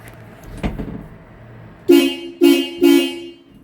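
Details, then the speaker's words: Pittsburgh 12V twin-disc horn set (113 dB, high and low tone) installed below the radiator shroud on a Jeep Comanche. Three sharp, loud two-tone blasts cutting off cleanly; normal horn operation. "An Extremely Loud horn although sounds kind of Japanese it is very loud"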